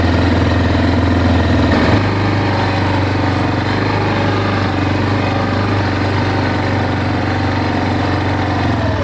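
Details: Big Bear 400 ATV just after a broken OEM muffler baffle was replaced with an aftermarket pipe, choke used at start: low even single-cylinder putter at idle, about three beats a second, no knocks or rattles; quiet and healthy.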